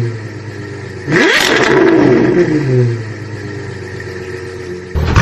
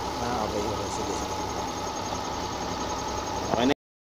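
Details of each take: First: Suzuki Multicab F6A engine: revs blip up and fall back unevenly with a rough, stumbling note; misfire caused by oil leaking onto and fouling a spark plug, interrupting the spark. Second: Suzuki Multicab F6A engine, whose misfire came from oil wetting the spark plugs through a torn cylinder head cover gasket and loose bolts (gasket replaced): small four-cylinder at a steady, even idle with no stumbles or missed beats.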